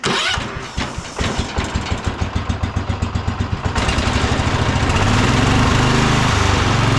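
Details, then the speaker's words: Old Cub Cadet International Harvester 1250 tractor after bolting the loose muffler and shroud back on to cure vibration noise: single cylinder cranks, catches and settles into steady, even thumping; still some vibration, but runs great, burns no oil. "but overall this thing sounds great for being that old of an engine you know it doesn't really burn any oil uh everything runs great so we're real happy with it"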